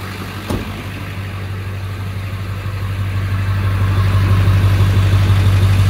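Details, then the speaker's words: 1999 Ford F-250 Super Duty XLT, 7.3L Power Stroke turbo diesel, 83k miles, 6-speed manual 4x4: cold start with one catch on the starter, then a steady, even diesel idle that settles and firms up; normal healthy cold start and idle. "Go ahead and fire it up. This will be a cold start."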